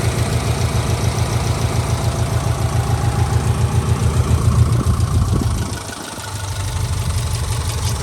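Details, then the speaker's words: 2004 Subaru Impreza 2.5RS with an SRS stainless exhaust and new timing belt, recorded under the hood. Even, smooth idle pulse with a brief dip in level, no knocks or misses. Normal idle. "I mean, it runs. It just runs great. It runs great. It drives fantastic."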